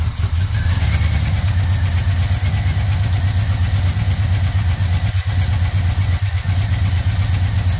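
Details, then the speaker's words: Truck started after work, running better but still shaking: loud low rumble with an uneven, lumpy beat and a knock riding through it, plus clanking near the exhaust; a spark plug is suspected, cause unconfirmed. "still clanking up there yeah the exhaust with the motor shaking it's a drive could be still sounds like it's got that knock though I feel like that spark plug is definitely a problem"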